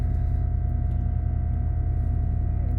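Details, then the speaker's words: 1998 Lincoln Continental 4.6 L DOHC V8 cold start at 29°F in snow and ice: deep even rumble with steady beat, no knocks or misses; started cleanly, idles smoothly. "There it is. Fired right up. You can't beat the old Lincolns. They just don't quit."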